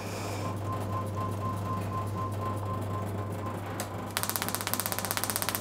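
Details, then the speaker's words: Classic car distributor electronic ignition upgrade kit on test bench, output measured around 12 kV: loud crisp evenly spaced snaps about four per second; strong spark jumping a 25 mm maximum gap, arcing out the back of the test unit. "it's jumping out the back of the test unit to the back of the machine you can probably see there so with that unit our gap is a whopping 25 millimeters"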